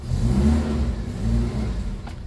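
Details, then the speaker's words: 2002 Suzuki Katana GX just started from the cabin: the engine picks up cleanly on a quick throttle blip and drops back without knocks or rattles, described as very smooth. The fuel and temperature gauges read normal; the engine is healthy. "kita Nyalakan mesinnya nah mesinnya itu alus banget teman-teman nih suaranya masih halus banget"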